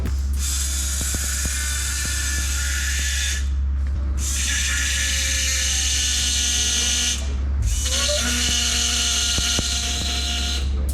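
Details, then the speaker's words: VL Calais Turbo, old Bosch 044 fuel pump run off a battery on charge with engine off, before swap to new 0444; steady low hum with bright whirr, fairly quiet, wouldn't be heard over idle. "it's not too bad, but you wouldn't hear it over at idling."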